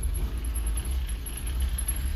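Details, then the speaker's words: Fiat X1/9 after clutch hydraulics adjustment, cold start, idling in neutral then shifted into first: steady low idle with a soft clunk into gear, no grinding or crunching. Clean gear engagement, clutch releasing fully. "There we go. Bit of a cold starter. Put it in first gear, no grind."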